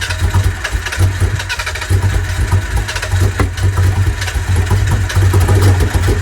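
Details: Mitsubishi 3000GT SL front-wheel-drive V6 project car, first start attempt: a deep, lumpy idle with an uneven pulse and no steady beat. It is misfiring and not running on all six cylinders; the owners suspect it needs two coil packs.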